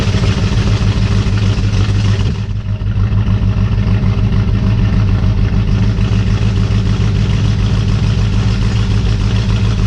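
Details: 1967 Ford Mustang 289 V8 first start after rebuild (heads off for intermittent antifreeze leak), second attempt after fixing plug wires fitted in wrong rotation; starts easily, settles into deep even idle, no misses or knocks; some smoke expected from spilled antifreeze.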